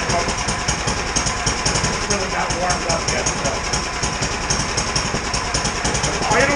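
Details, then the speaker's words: 17-year-old Sears Craftsman snow blower after carburetor replacement, the cleaned original having failed: small engine idles unevenly, stumbling and hunting; rough idle, still needs fine carburetor idle adjustment. "still think it needs a little bit more fine adjustment on the carburetor"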